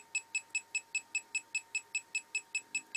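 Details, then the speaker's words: Homemade SMD PCB reflow oven controller, oven hot, in the reflow stage: a high, steady beep repeating about 2.5 times per second without a break; the normal alert. "And as you can hear, that little bleeper's going crackers. Oven's nice and hot."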